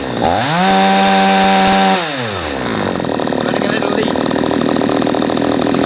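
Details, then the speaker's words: A P1PE P6220C chainsaw with its high-speed mixture screw unscrewed too far, so it runs too rich, has revs that rise slowly and hang, then a steady busy tone; gutless, sluggish revving before the screw is turned back in. "okay as you saw when it becomes gutless I unscrewed it quite a bit it becomes very slow to go when you're on the high-speed so I gradually screwed it back in until they got to the point where it's revving correctly"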